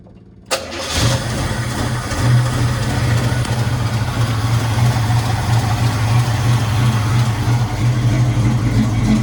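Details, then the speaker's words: 1986 blue square body with Edelbrock carburetor and factory manifolds, old fuel smell, possibly low on fuel: catches after a short crank and settles into a steady, even idle with a slight lope, seems to have a little cam; sounds healthy. "Doesn't sound bad at all. Sounds like it's got a little cam in it."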